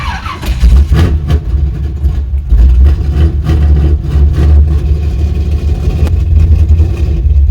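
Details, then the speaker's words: Chevy C10 V8 with carburetor, started with the fuel pump on: rough and reluctant to idle, kept alive with throttle. Idle may be set too low, so it is being idled up; cause unconfirmed. "I don't know if I had an idle down a little bit more or what on the truck so I'm gonna idle it up a little bit now"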